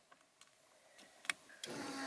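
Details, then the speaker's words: Car with aftermarket line lock and CAN bus module: faint clicks then steady quiet electric hum at key-on as fuel pump primes unintentionally; line lock relay backfeeds power, partially waking the ECU; unplugging CAN bus module stops priming, reconnecting restores it. "Now I have fuel pump priming again."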